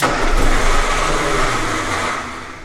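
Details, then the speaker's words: 1965 Austin Healey neglected for years: the starter cranks, then it fires in a short, ragged burst on starter fluid and dies within seconds. It runs only on starter fluid because there is no fuel supply. "did y'all see and hear that thing need more star fluid hang on all right that's compression it's known as combustion"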